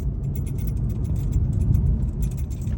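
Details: Quick, irregular metallic jingling over heavy road rumble in a Mercedes 680 on rough cobbled pavement: the customer's reported dashboard noise was a keychain knocking against the ignition key.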